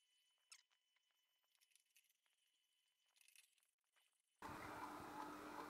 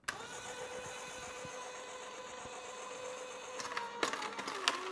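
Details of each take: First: Sana 808 (Omega VSJ843) slow juicer juicing carrots, compared against a cheap copycat; steady low motor hum with even crunching as carrots feed; smooth, healthy run. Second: A cheap copycat vertical slow juicer (compared against a Sana 808) is started and fed carrots. A steady electric motor hum with crunching as it takes load; the motor slows down under stress, and the blades later jam.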